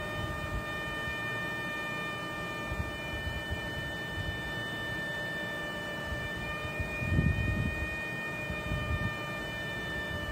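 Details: Engine at idle: a thin, steady high whistle over a low idle hum that never changes pitch. A vacuum leak is suspected, not confirmed.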